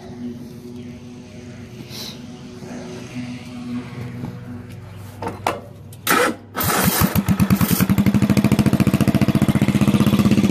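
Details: Bolens single-cylinder lawn tractor, muffler removed: cranks, catches and settles into a loud, sharp popping beat around 1,600 per minute; open exhaust without muffler.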